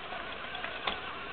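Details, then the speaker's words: Used 1976 Yamaha YZ80 bottom end on the bench, spun by drill to test gears and bearings before splitting the case: even whir with one clean click as first then second gear engage, no grinding. "first gear being down okay got good first gear first gear is hitting go back to neutral and it stops moves easy second gear give it a little punch sometimes there we go second gear third"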